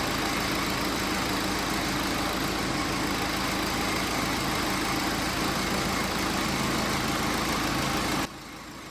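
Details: BMW X5 diesel idling with the accessory belt off: even idle, no squeal, pointing to a belt-driven accessory (pulley, rollers, AC compressor clutch or alternator), not yet confirmed.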